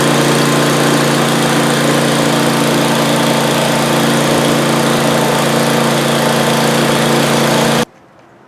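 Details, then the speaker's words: Older Ariens snow blower with 8 HP Tecumseh engine after electric-start repair: steady, even buzz at constant speed with no misses or knocks until shut off, after running 10-15 minutes warm with no issues; engine runs cleanly. "Okay, it's been running for about 10-15 minutes, nice and warm, no issues."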